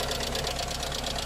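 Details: Skoda Fabia with 1.0-litre Skoda engine (not VW-derived), at idle: fast, even light tapping keeping pace with the engine; lifter tick, owner suspects oil pressure, cause not confirmed, engine otherwise runs reasonably with enough oil.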